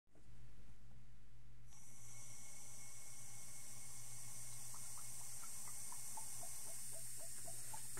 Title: GTI boost leak 2